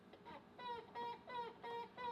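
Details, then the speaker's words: Jeep Wrangler TJ (1999) steering being worked after sway bar link replacement, now needing hard effort; about five sharp rising squeaks in two seconds, seeming near the column top from the driver's seat; steering squeak. "the first thing here that's weird is this squeaking noise go ahead and work the steering"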